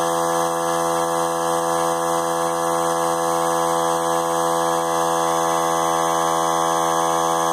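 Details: Central Pneumatic 95275 3-gallon oilless compressor, 100 psi max: steady, even motor drone, constant pitch, no knocking or rattle, building tank pressure; running normally.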